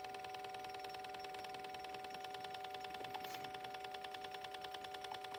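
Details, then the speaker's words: 2019 Ford Escape 1.5L EcoBoost, engine off in a quiet bay, purge valve commanded by scan tool (complaint P0496, hard start after fueling): crisp even ticks about three per second; valve cycling cleanly, silent at 100% duty. "you may have noticed that the valve went quiet when the scan tool was at 100% duty cycle and this is because at 100% the valve was receiving constant voltage as opposed to the pulse voltage when it is running a duty cycle under 100%"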